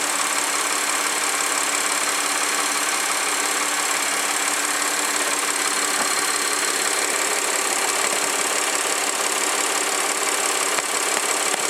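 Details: 2009 Audi A4 3.2 engine at warm idle: fast, fairly even, light valve train ticking of about three per second over a thin engine hum, described as heavy valve ticking.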